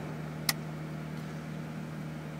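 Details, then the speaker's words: Cadillac Catera blower rewired with a toggle switch and key-on relay in place of the factory module, set on high with engine idling: steady even fan hum, one brief click, no squeal or rattle; running normally. "also wired in a relay so say I even had it on high and here it's not running now it won't work unless the key is on okay so and on that I'm sure you can hear hi"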